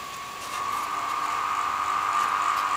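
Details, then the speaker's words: Commercial washing machine drain pump (88.2 ohms) on a variac at about 100–120 V: steady, clear motor tone that swells after half a second, then holds even. Healthy motor, but no suction; it needs gravity feed to prime. "that's a nice loud coming motor yeah no suction on that so this needs gravity to force the water down into it for it to work"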